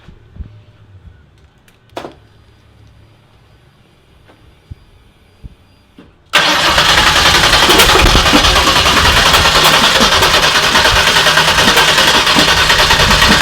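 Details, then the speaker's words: Turbo car on E85 with dual-sync distributor, first start: engine cranks about three beats per second but never catches; spark plug wires were in the wrong order. "whew it started though yeah oh dude first start right up heck yeah that's awesome i just had my plug wires all wrong that happens"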